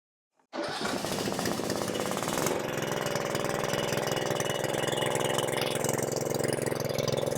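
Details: Craftsman R110 riding mower being diagnosed for no-start (oil overfilled) catches quickly and runs at full throttle so the charging system charges the battery (meter reached 13 V); steady, even chug, no misfires or knocks, normal running.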